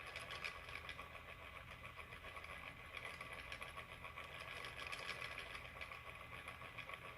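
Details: MSI PE60 6QE gaming laptop: loud rushing fan with a steady high whine, no clear rhythm; cooling fan running too loud, unrepaired.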